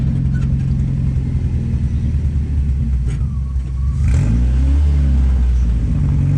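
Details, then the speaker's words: Sand limo cruiser: uneven, choppy exhaust pulse at idle and on a throttle blip, skipping like a dead cylinder; owner suspects a stuck injector. "sounded like it was dead on a hole it might be a stuck injector"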